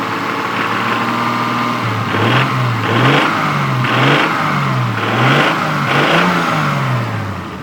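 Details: Stock Toyota Supra MK3, 200,000 km, burning about 1 liter of oil per 600 km: idles, then five quick revs each bring a hissy, rattly upper-engine noise; owner suspects valves or injectors; cause unconfirmed.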